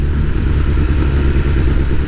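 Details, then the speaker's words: 2022 BMW S1000R Sport with full Black Widow exhaust, over 2000 miles, untuned: engine hunts at low rpm on partial throttle, like an on-off throttle or missing a spark plug, worst downhill; owner hopes a tune fixes it. "You guys might not be able to see it in the camera, stabilization settings and all that, but it proper hunts if you know what I mean. It's almost like it's missing a spark plug."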